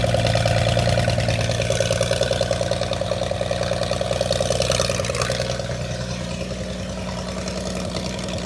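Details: Holden red motor 173 ci (2.8 L) six, about 1971, ex-Bedford CF van, first run after years laid up: settles into an even idle of about three hundred pulses a minute, no knocks or misfires.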